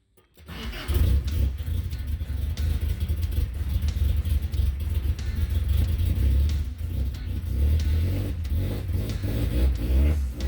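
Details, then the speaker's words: 1977 Toyota Celica GT RA24 after Weber 32/36 carburetor rebuild with new diaphragm and sediment cleaned out: catches after cranking, then lumpy, wavering low idle that surges and sags; owner suspects a remaining fuel issue, cause unconfirmed. "thinking i still have a fuel issue i don't know how to look into it so i will let you guys know"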